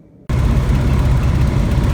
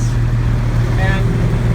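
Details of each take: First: Van's RV-12 aircraft engine at annual inspection, cold, crossover tube removed: catches and settles into a deep, uneven, lumpy drone; rough idle attributed partly to cold and partly to the missing crossover tube. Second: Van's RV-12 aircraft engine at annual inspection, warming up toward operating temperature (58 of 120): steady, even low drone with no misses, much smoother than before; normal running.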